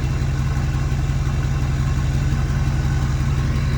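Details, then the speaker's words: Ford F350 Super Duty 6.4 Powerstroke diesel after new billet-wheel turbo install, cold start at 50°F after a couple hours off: steady, even low rumble, no turbo whistle, hiss or knock; healthy cold idle. "Cold start on the 6-4 after the new turbo install. It's only 50°. Not like a freezing cold start, just cold for the you know, haven't started in a couple hours."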